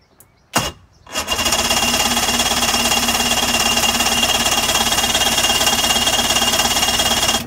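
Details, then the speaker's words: 2005 Mercury 115 two-stroke outboard on a Mako, with a little throttle: rapid, even starter cranking that never catches. Cranks but won't start; owner suspects the plugs are oil-fouled from oil put in the cylinders. "What I'm going to do is I'm actually going to just pull the plugs, and we're going to check the plugs. Maybe the plugs have gotten oil fouled since I did put oil in the cylinders."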